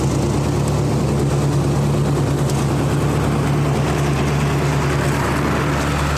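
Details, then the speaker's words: 1999 Snapper riding mower, 28-inch cut, 10 hp Briggs, first run of the season after sitting in a shed: small single-cylinder with a steady, even thump, no knocks or surging; running good. "All right, fellas. Running good,"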